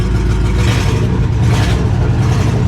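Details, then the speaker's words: Old truck started without a jump pack, firing right up with good oil pressure and the battery charging: deep, steady idle with an even beat and no knocks, misses or hunting; running healthy. "Let's see if it starts up. It should fire right up, guys. I expected as much. I expected as much. Good old pressure. Battery's charging like it's supposed to."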